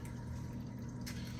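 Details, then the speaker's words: Aquarium sump drain flowing quietly after the drain valve knob was gently tightened: soft, steady low water rush with a faint trickle, noise nearly gone; the fresh-water top-off begins filling. "the noise is almost gone but notice as I turn that uh right now it's between 600 and 8 so my fresh water just kicked in and it starts filling up"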